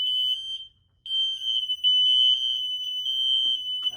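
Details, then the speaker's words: Linked wireless smoke alarms with a wall controller: piercing continuous tone after smoke is put into one unit, whose flashing red light identifies it as the cause; smoke alarm sounding. "that's flashing red that's how you can tell this one's making noise"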